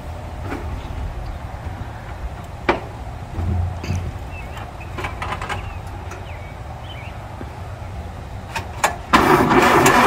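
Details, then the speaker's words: 1930 Ford Model A, first start after 40 years in a barn, fresh oil, cleaned regapped plugs, oil in cylinders: slow uneven cranking with scattered clicks, then catches into a loud ragged run, with much oil smoke. "houston we have a problem well it's running after sitting in a barn for 40 years it's running it's not running very well but it's running"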